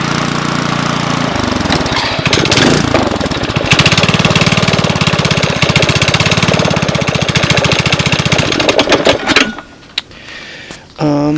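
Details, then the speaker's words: 5.5 HP Briggs & Stratton Intek, first start after carb clean, cold day about 27°F (-2.8°C): catches after a short pull into a quick, fairly even chug with no knocks or rattles, then shuts off. Normal running. "Yeah, it looks like I did a halfway decent job getting it running, which is a good thing."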